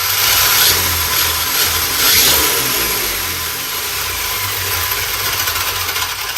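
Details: Arrma Mojave EXB on 8S LiPo with belted tyres, on a stand at part throttle: high even electric whine with spinning-tyre hiss, pitch steady then easing off, no grinding or cogging; brushless drive runs clean.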